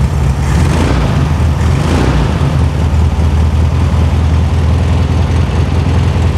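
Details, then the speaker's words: 1973 VW Super Beetle air-cooled flat-four, engine just reinstalled after 20+ years off the road, fan strap adjusted, timing not yet set: steady low even idle with a brief blip, no knocks, no major leaks; normal idle. "Goods man for riding since night not running for 98 sounds good no major leaks"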